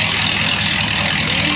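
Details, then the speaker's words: 1937 Ford with 59AB flathead V8, straight-pipe dual exhaust, new recored radiator, just started: loud steady raspy idle with even low rumble, no misses or knocks; normal idle. "that is a lot louder than i thought it was going to be"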